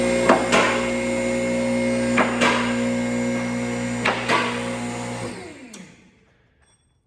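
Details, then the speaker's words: Newly installed Tuxedo 9K two-post lift on 220V 30A wiring, first test: pump motor hums steadily while safety lock clicks come in split pairs about every two seconds, not synchronized; posts need adjustment. "you can hear the clicks are not synchronized so I'll make uh some adjustments to kind of get them to sink up a little better"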